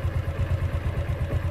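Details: 2010 Yamaha Exciter single-swingarm motorcycle, first registered 2013: a steady low thump at about eight beats a second with an even rhythm and no ticking or knocking; a healthy idling engine.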